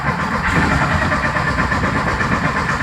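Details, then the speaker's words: 1973 VW Thing engine parked since the early 1980s, primed with accelerator pump, no choke: starter churning with uneven puffs that never catch; distributor suspected of moving during cranking, shifting ignition timing, and is tightened down. "Trying real hard. So back her down a little bit more. I think my distributor is actually moving on me when I go to start it. So let me tighten that down."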